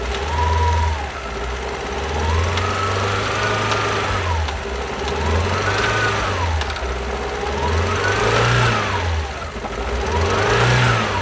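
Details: 2012 Alfa Romeo Giulietta II (Tipo 940), 1368 cc 120 PS petrol, engine code 940B7000, 164,000 km. Uneven, lumpy idle with revs rising and sagging every couple of seconds: two cylinders have no compression.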